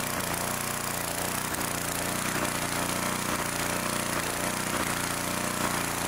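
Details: 2-cylinder engine at steady speed after the plug was put back in, uneven lumpy beat, one side still cool and not pulling; later traced to backed-out bolts letting the intake manifold suck air.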